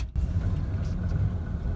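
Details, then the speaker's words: 1994 Ford F-150, 4.9L straight six, five-speed manual; cold start idle lopes and pulses unevenly for about a minute before smoothing, recurring only when cold; idle air control valve replacement planned. "see if we have a rough idle on start there we go draw final it should smooth out here in another 10 seconds 15 seconds and this is what it's been doing most of the time we've started it recently"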